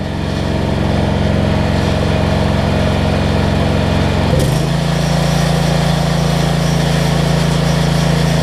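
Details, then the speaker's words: Generac 7500EXL generator that used to die after 3-5 seconds, fixed by unplugging a bad low-oil switch and slowing the engine speed. With choke and a roughly 1500 W heat-gun load, a rough note settles into a steady hum with good idle control. "i always got to choke that's much better idle control"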